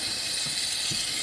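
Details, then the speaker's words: 6.0L Powerstroke diesel, valve cover off, high-pressure oil system pressure-tested through the oil rails: loud steady sharp hiss of oil and air escaping, traced to a cracked high-pressure oil standpipe, top half nearly broken through. "It sounds like the bottom of the standpipe right here. Right there. See the oil and air moving there."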